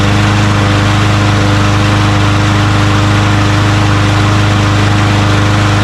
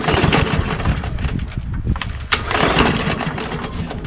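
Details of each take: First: Craftsman M110 (MTD) push mower, Briggs 550EX auto-choke engine, after carburetor cleaning, air filter off: starts first pull, steady even drone for about seven seconds then winds down cleanly at shutoff; normal running. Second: Craftsman M110 (MTD-built) push mower with a Briggs 550EX auto-choke engine, nearly new and oil clean, pull-cord cranking: rough chuffing compression but it never catches; choke flap closed, plug unchecked, owner suspects the carburetor or fuel not getting through.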